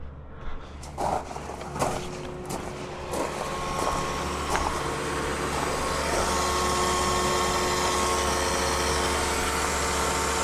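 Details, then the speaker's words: Cat 279D3 diesel skid steer in for an overheating issue and full service, hydraulics reading 100°F: a few clunks, then a steady thin hum as the electric fuel pump keeps running after the engine cut out. Owner suspects it ran out of fuel. "Yeah, so that noise is the fuel pump because it just cut out and it's rocking and rolling there. So maybe it just ran out of fuel."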